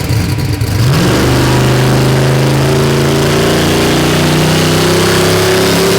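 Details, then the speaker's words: LS V8 car "Bad Apple" strapped on a hub dyno for a baseline pull, converter seemingly tight: deep V8 note climbs steadily and cleanly under load with an even beat; engine sounds healthy. "god that thing sounds healthy"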